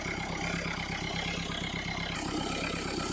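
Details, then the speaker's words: Mahindra Verito D6 with Duster's 1.5 Renault 85PS diesel, black smoke and no acceleration after 15 days parked; after debris cleaned from blocked turbo (fins undamaged): steady idle, even clatter, smooth turbo whirr, no scraping or rubbing; turbo spins freely. "तो यहाँ से देखो, turbo बिल्कुल ही अच्छी तरह घूम रहा"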